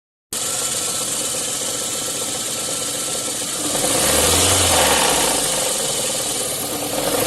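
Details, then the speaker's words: VAZ 8-valve engine at idle: rhythmic knock that swells as revs briefly rise; the crankshaft pulley damper key sheared, letting the pulley turn fully on the crank and knock in one spot, worn at that spot. "Провернулся демпфер, как видно, вот он. Полностью повернулся. Ну и она перестала газовать. Она же и стучала."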